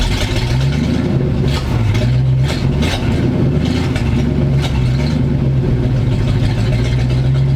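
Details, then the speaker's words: 1985 Square body truck, 454 big block V8, 4-speed, sat 20 years, rats tore off vacuum lines (replaced): low uneven rumble sags and surges, won't hold idle without a little gas; owner suspects choke/carb, won't rev well. "come on if I give it a little gas it'll stay running"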